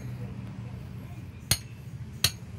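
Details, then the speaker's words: Mazda rear gas shock absorber, worn out and leaking: two sharp metallic clunks about three-quarters of a second apart as the body rocks, the blown shock knocking at its lower end. "Nah itu sebabnya kenapa suka sering dari awal video ini kan saya bilang sudah suka ada bunyi gitu ya seperti beradu benda gitu Nah itu karena tadi teman-teman yang ini ketika mobil mengayun"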